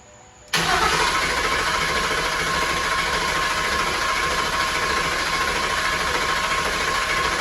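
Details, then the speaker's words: Restoration car that has been sitting a while, cranked a couple of times with no start attempt to prime the engine and circulate fresh oil before its first start: a steady, even whirring chug with no firing; normal cranking. "all right so we're going to do a couple turnovers to try and prime the motor a little bit get some fresh oil going through everything because it's been sitting for a while"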